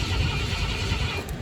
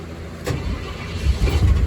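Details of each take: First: 1972 Ford F-100 Ranger XLT, stored 10+ years, cranked from the cab via a jumper across the neutral safety switch wires: low uneven churn that never fires; crank no start, no ignition power reaching the coil. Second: 1972 Ford F-100 Ranger XLT, stored over ten years, started from the cab after ignition electrical troubleshooting: cranks briefly, catches and settles into a steady, even idle with no misses or knocks. Sounds healthy.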